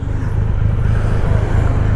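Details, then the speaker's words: 2020 Triumph Rocket 3 GT three-cylinder, riding in December after the rear master brake cylinder recall repair and an oil change, showing 34.8 mpg: steady, even drone with no knocks or misses; normal running. "Yep, the bike is fully sorted right now. It's running like brand new. There's no TFT issues. I had 3 years of TFT issues. There's no brake issues. The motor's running like a sewing machine, and it's telling me 34.8 mpg, but"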